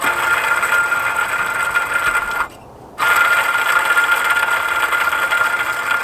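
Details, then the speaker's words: Crown Victoria/Grand Marquis (2003–2011) idler pulley spun by hand with the serpentine belt off: gritty, crunchy rasp with a thin steady whistle from bad idler bearings. Tensioner frozen, so both are being replaced. "I'm sure you can clearly hear how crunchy that is, and that's because our bearings are bad."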